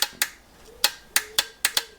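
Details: Aprilia Caponord starter solenoid bench-tested on a 12 V charger supply: sharp dry clicks at irregular gaps, engaging inconsistently; faulty starter solenoid.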